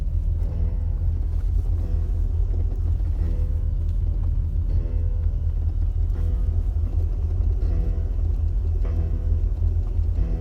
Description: Jeep XJ, noise while tap the brake downhill.